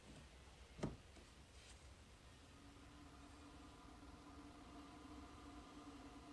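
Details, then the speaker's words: Airhead composting toilet fan just installed on a school bus conversion, microphone brought close: quiet room, then a faint steady hum starts and holds an even pitch; the small fan spins smoothly with no rattle. "So all that's left to do now is plug it in, and you can, if you bring the microphone over here, you can probably hear the fan."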